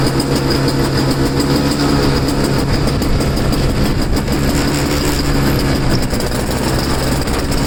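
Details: Two-stroke snow blower started in cold, windy weather after sitting 10 months, choked and unprimed. It holds an even, steady drone with a low hum, no misses or surges. Self-propel isn't working and owner suspects a worn impeller.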